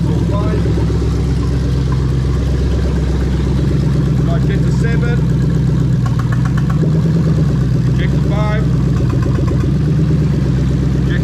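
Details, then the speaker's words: 3UZ-FE VVT-i V8 from a 2000–2003 LS430 in a Toyota Altezza RS200 (J160 manual), idling while injectors and oil control valves are checked: a low, steady, even beat with no knocks or hunting. Normal, healthy idle. "yeah the engine running really lovely over there"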